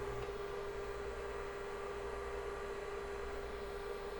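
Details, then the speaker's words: Rebuilt IBM 5150 PC during final assembly and testing, after reconnecting the forgotten motherboard power connector: boots off the hard drive, with a steady, even whir and constant mid-pitched hum, no knocks or grinding; normal running. "There it goes. Booted off the hard drive just fine."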